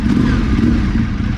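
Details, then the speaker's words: Ducati 848 at idle: lumpy steady twin idle with only a light background rattle, clutch quiet and pulling the lever changes almost nothing; healthy. "e agora é só a gente não escuta muito barulho proveniente aqui na embreagem"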